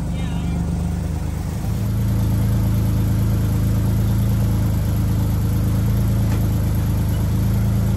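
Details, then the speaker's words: 1974 Datsun 260Z twin-carburetor engine, just started and warming up: low, slightly uneven idle that rises and then hunts; it runs but poorly, with the twin carbs sounding out of balance and needing to be dialed in. "it can run but it's not very good at it we're gonna we're definitely gonna have to work at that"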